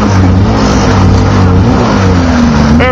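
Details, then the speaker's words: 2002 Polaris XC 800 two-stroke snowmobile running on ether starting fluid, tank out of gas; loud buzz surging and sagging unevenly; runs only on starting fluid, no fuel. "Hey, why didn't we have this out when the starting fluid was in action? Yeah. The Polaris running on ether."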